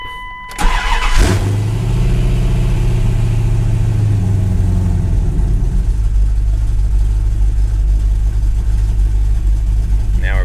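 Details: Cammed Dodge Dakota R/T, 5.9L Magnum pushrod V8 with high-lift Comp Cams camshaft, Mopar M1 intake and larger throttle body, started right after loading an HP Tuners tune: brief crank, then a deep, steady, slightly loping idle with no knocks or misses; normal idle.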